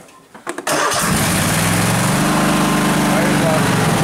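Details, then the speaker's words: Craftsman DYS4500 lawn tractor, 26 hp Kohler Pro V-twin, just warmed up: with choke off it sags, hunts lean and starts dying, steadies with partial choke; runs fine unchoked 3-5 minutes first, so clogged main jet doubted, cause unconfirmed. "chokes off, starts dying. Pull the choke out a little bit. Starts right back up. Not happy."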